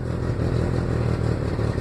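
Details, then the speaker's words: 1996 Ford Ranger 2.3 at idle, clutch in, no check engine light or codes, lacking power: low uneven lumpy idle with faint spitting and sputtering stumbles; slight misfire, cause unclear. "know if you can hear that sounds like it's missing just a bit"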